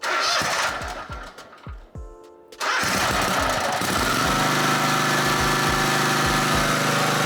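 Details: Second-hand Snapper Pro SW30 52-inch mower with a Kawasaki 651V twin, after a full tune-up service: a few uneven cranks and pops, then a steady, even throttled-up run with no knocks; sounds healthy.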